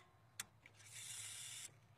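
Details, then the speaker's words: 5.0L Mustang EEC-IV no-start: twisting the flaky TFI ignition module gives a click and a brief high fuel-pump whir as the distributor signal returns and the pump primes; intermittent TFI module. "it is definitely firing it probably is firing an injector and it's definitely running the fuel pump every time I give that a twist"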